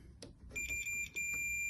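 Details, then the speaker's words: Makita DCS592 cordless circular saw with no power, multimeter continuity test across switch terminals: probe clicks then steady high buzz with one brief dropout; switch good, fault traced to controller board. "So you hear that buzz? That's telling us we're okay there. So the switch is good"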